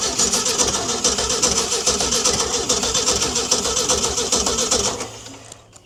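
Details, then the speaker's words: Ford D Series petrol fire truck started for the first time in 16 years, with upper cylinder lubricant added. It catches with uneven stumbling bursts, misfires, then dies after about five seconds; owner suspects a stuck valve, possibly flooding or lost spark. "She's got a valve stuck. She's having a sneeze out there, but she fires up, she might clear."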